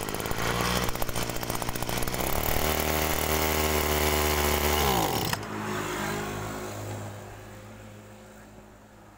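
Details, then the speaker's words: Agricultural sprayer's small two-stroke engine after carburetor service: buzzes up under throttle, then pitch sags and drops off abruptly, bogging ("ngok") instead of holding revs; owner suspects lean mixture, adjusts carb screw counterclockwise without success, plans swapping in a normal carburetor. "jadi teman-teman di situ masih timbul ngok ya nah ini kalau timbul ngok kalau saya dengarkan ini sepertinya kurang boros ya"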